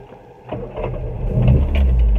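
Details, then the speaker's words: Austin Mini Cooper S Mark III, freshly fully tuned, warmed up after 3–4 miles: brief crank, catches at once and settles into a firm, even idle; oil pressure 60 psi, no misfire, hesitancy or overheating. "There's no signs of any misfiring, hesitancy or overheating now, so certainly once it's warmed up."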